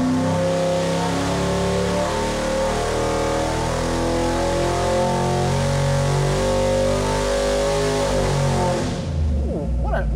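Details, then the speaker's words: Stroked 347ci small block Ford for a 1977 Ford Granada, on a dyno pull from 3,500 to 6,000 rpm on pump gas, 35° timing, air-fuel in the mid 13s, 950 carb. Strong, even V8 roar under load with no knocks or misfires, then it drops off. Made 490.3 hp and 442.5 lb-ft. "nice little engine. All right, not bad. 442.5 pound-feet and 490.3 horsepower, right at 6,000."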